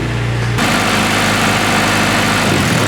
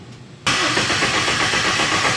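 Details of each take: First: Honda K-series swapped Nissan S14 on first start, warming up with a dyno fan in place of missing radiator fans: smooth, steady idle, even low rumble, no ticks, knocks or misses, no leaks; normal idle. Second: First start attempt of a Honda K-series engine swapped into a Nissan S14 with a Link ECU: steady starter whir, never fires; crank no start because the wiring was pinned for a K24 crank sensor but a K21 sensor was fitted.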